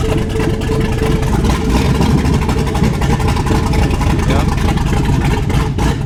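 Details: 2015 Ford Mustang S550 with 7.3 Godzilla V8 swap, started after tack-welding and plugging in sensors to give the body control module an RPM signal: loud, steady rumble catching and holding an even idle; normal running.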